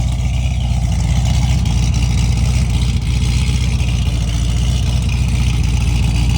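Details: C6 Corvette V8 idling after all injectors were replaced (one stuck open, fuel in the oil) and an oil change; before this it cranked but would not start. A deep, steady, even rumble with no knocks, ticks or misses; a normal idle.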